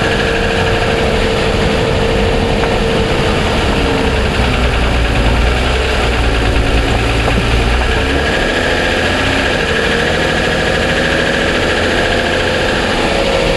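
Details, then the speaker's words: 2007 Toyota Sienna petrol V6 under powertrain warranty, cold start at idle: fast, light ticking over a steady engine hum; dealer heard it and suspects piston slap, which it calls normal, and declined repair. "okay now we have the the mic inside the cabin you can hear it it's ticking away"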